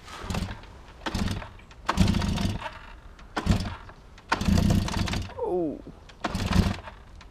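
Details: Old kick-start single pops, then fires in short sharp bursts with quiet gaps as the throttle is blipped; after earlier failed attempts the engine catches and runs normally.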